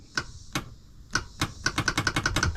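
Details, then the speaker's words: 1999 Kawasaki 900 STX jet ski after top-end piston replacement, cranking test on a lead-acid battery: sharp single clicks speeding into rapid ticking, never turning the engine over; starter motor failed. "oh what's going on now okay I got a bad starter yeah I mean that sounds like flicking sound tells me um but the starter just seems to be uh not doing anything"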